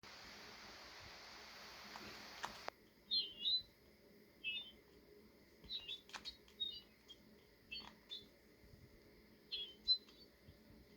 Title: The weird noise Galaxy Buds make when the charging case runs out of battery.